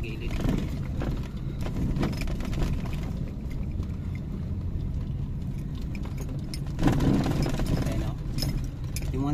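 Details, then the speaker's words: Car driven over a bumpy road after shock mounting and brake caliper repair: earlier suspension clunk is gone; the remaining light, irregular metallic clinking over road rumble, jumping on bumps, is loose coins rattling in the door pocket. "Wala naman na yung tunog na makaldag. Yung ibang mga naririnig nyo dito, yan may mga barya kasi"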